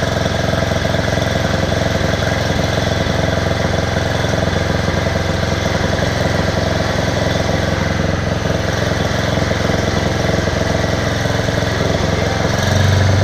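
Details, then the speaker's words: Bear Cat chipper/shredder after repair (belt, knives, screen, spark plug, mouse nest cleaned out): rotor spinning freely, steady even engine drone, smooth hum, no wobble, knock or rubbing; sings, sounds very well balanced; normal running. "I don't know if you can hear that but that's the rotor spinning and that just thing really sings sounds really really good like it's very well balanced"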